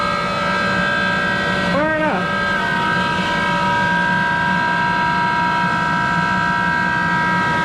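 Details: Worn Monarch 10EE precision lathe with its original motor-generator drive and exciter, spindle run around 400 RPM and in reverse: a steady, loud, rough multi-tone whine with a brief pitch dip as speed changes, pointing to worn motor-generator bearings.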